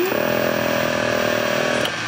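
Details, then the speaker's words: 1981 Lectra Motors Lectra 2+2 electric car, junkyard rescue probably not driven in over 20 years, in neutral with throttle applied: steady high whine of the drive motor spinning freely, now running after an earlier failed attempt; owner suspects it previously lacked enough voltage. "motor is actually running this time so i don't know if we didn't have enough voltage before maybe i needed to activate this with more power but this is definitely running"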